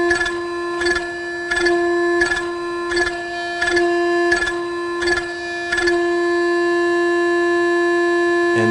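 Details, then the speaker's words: Yaskawa Sigma-5 rotary servo after only the tuning-less function, no notch filters yet, during a program jog: steady piercing mid-pitched hum with faint ticks about every two seconds; untuned servo loop oscillating. "There's some oscillation at this point. Now I'll just let that finish."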